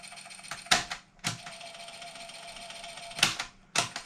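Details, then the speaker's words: Sinclair ZX Spectrum +2A (1987) built-in tape deck runs with a thin steady whine broken by sharp irregular clacks and clunks; plays but sounds noisy, cause not yet investigated. "tape deck I think it's okay seems to work but yeah it doesn't sound well so I'm going to need to investigate wise making that noise"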